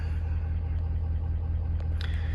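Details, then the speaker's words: 2019 Ford F550 6.7 Powerstroke diesel, customer complaint knocking, cylinder 5 contribution/balance code: deep idle with steady knock unchanged when injectors are disabled via scan tool, pointing to mechanical engine knock. "and the knocking's still the same."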